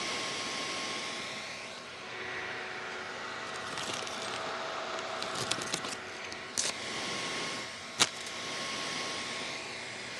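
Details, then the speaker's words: Ender 2 Pro 3D printer just powered on and idle, microphone near the fans: steady airy whir and thin constant hum, excessively loud stock cooling fans. "I mean come on why are these fans so loud but yeah this amount of noise for a printer that's just turned on not doing anything is a bit excessive"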